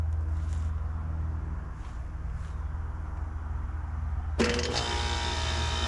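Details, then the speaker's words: Home central air conditioner outdoor unit calling for cooling: steady low compressor hum with no fan air rush; condenser fan not running. "And I can hear the compressor running, but this fan is not spinning."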